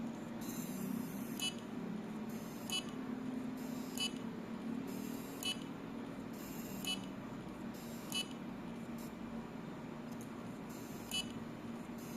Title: Seagate ticking sound